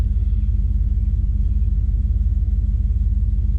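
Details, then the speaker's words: Small-block V8 SUV after the firing order was corrected and the throttle body cleaned, oil pressure improved, just warming up: deep, steady rumble with even pulses and no miss. First time running on all 8 cylinders in a long time. "So gang, take a look at the gauges here. This is what your small block V8 should idle at."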